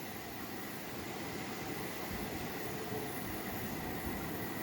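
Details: Gas burner after cleaning the air tubes, the tube running underneath and the burner plates: even, steady roar with a faint constant high tone and no chuffing or pulsing; the chuffing is gone and the flame burns normally.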